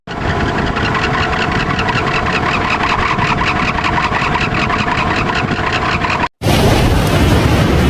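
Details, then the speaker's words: Rooftop air-conditioner blower motor: loud, rough droning roar with a steady hum and gritty pulsing from a worn bearing, audible as far as the living room. The motor is being replaced with a new one. "So maingay na yung bearing pero kailangan palitan ng bago"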